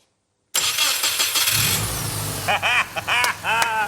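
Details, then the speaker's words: Restored barn-find Subaru Brumby, EJ20 engine, first start after fuel system flush: brief cranking, catches at once, smooth even idle with light revs; healthy. "well done like a stock one well done boys that's freaking awesome well done Brumby everybody ej20 power Brumby listen to it"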